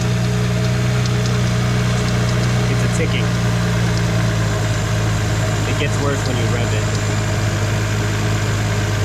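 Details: BMW 335i N54 (E90/E92) at idle, sound near front accessory drive: light uneven ticking over steady idle hum; worn accessory pulley bearing, fixed with BMW pulley and belt kit.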